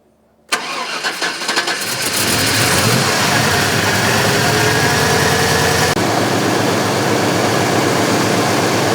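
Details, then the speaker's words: 1970 C10 with 1998 Vortec 7.4L (454) big-block, rough running fixed by replacing old spark plugs: cranks, catches within a second, then settles into a steady, even run with no misses; already running much better. "thank you well just backing it out it's already running a lot better so"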